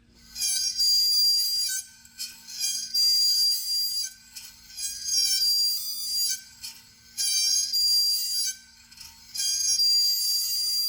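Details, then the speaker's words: 2004 Lexus GX470, drum exposed, rear wheel turned by rotating the opposite tire: loud shrill squeal in waves, normally muffled by the drum; loose small spring found rubbing inside the drum parking brake. "let me show you first that squeak and you will probably hear it very loud because it was now it's exposed and it was muffled by the druming here in the tire"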